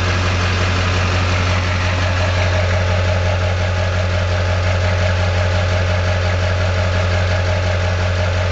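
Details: Duramax LB7 diesel at idle, worst injector balance rate 3.2, rail pressure about 5500 at idle: deep idle with an uneven, lumpy beat near two per second and faint knock; rough idle, owner suspects failing injectors.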